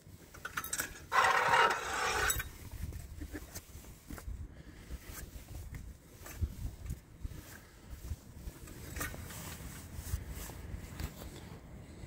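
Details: 2022 Honda Ridgeline, 5,000 miles, rear driver's wheel jacked up and hand-turned: uneven scrapes and light clicks, suspected wheel bearing but turned out a chunk of metal inside the parking brake drum.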